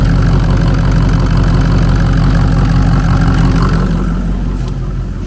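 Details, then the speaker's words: 2003 Ford Excursion 6.0 Powerstroke diesel first start after sitting 2–3 years, parked for a suspected water pump leak: deep, even diesel clatter at steady idle, no misses, knocks or surging, sounds healthy; battery light on, alternator suspected. "Let's hear how she sound. You know, let's hear how she sound. Okay. Woo. Sounds pretty good. She sounds pretty good, guys."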